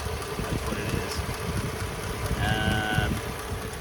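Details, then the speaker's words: 1936 Ford Deluxe Fordor sedan, original 85 hp flathead V8 with a dual-barrel carburetor, possibly a Stromberg: uneven, loping low idle with irregular thumps; rough idle from a worn carburetor that needs rebuilding. "the carburetor needs to be rebuilt they usually do you can tell it's not quite working the way it should"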